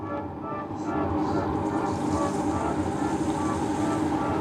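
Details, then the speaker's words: BMW E90 series after oil filter housing gasket replacement, coolant bleed with key on, heater on full hot, gas pedal held 10 seconds: steady low whir of the electric water pump and rushing, gurgling coolant flow; normal bleeding. "Our water pump should be, there we go. We can hear the water flowing."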